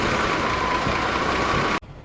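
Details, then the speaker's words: Jeep CJ7 4.2L straight-six, automatic, with new MaXpeedingRods replacement carburetor, now warmed up, idle a hair high and smelling slightly rich: steady, even, unbroken idle with no misses or stumbles; normal idle. "sounds like the idol's a hair high has warmed up now totally smells a little rich see we can fix that"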